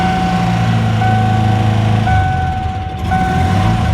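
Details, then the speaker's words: 1994 Ford Ranger brought back after sitting a long time, first start: rough, uneven idle with a lumpy, stumbling beat that never smooths out. Engine misfire, not running on all cylinders. "Sounds pretty healthy that time. She ain't running on all. Oh wait, there she goes. Nope. Still ain't running on all cylinders."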